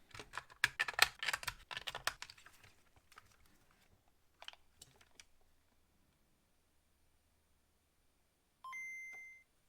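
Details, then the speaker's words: DMG Game Boy repaired from no power/no display, fitted with a cheap replacement speaker; after handling clicks the two-note boot ding sounds thin, shrill and high-pitched, so the poor new speaker will be swapped out. "Yeah, that uh I wanted to try the the new speaker, but that just sounds really bad. That is high pitched and uncomfortable."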